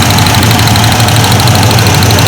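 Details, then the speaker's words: 1994 Ford Ranger at idle during plug-wire pull test at the coil: loud lumpy stumbling idle, this cylinder's wire makes no difference; owner suspects its spark plug is bad and removes it to inspect. "I pulled this one nothing happened it's still running rough and everything and I know it's making to it"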